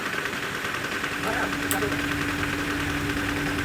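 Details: Toyota Hilux diesel after a general overhaul for blow-by, at idle: steady, even diesel clatter with no knocks, misses or hunting; the engine sounds healthy and settled.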